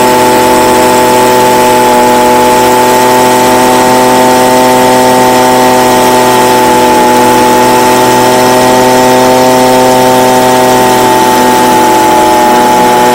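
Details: Stihl BG55 two-stroke leaf blower, formerly no-start, on new C1Q-S68G carburetor replacing one with a torn diaphragm, during carb adjustment: loud steady high-pitched buzz at even speed with no stumbling or surging; new carb running cleanly.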